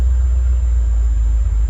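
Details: 1988–1993 Ford Mustang V8 idling on a rebuilt A3M1 mass airflow computer: deep, steady rumble with no misses, surges or knocks, smooth even idle; normal idle.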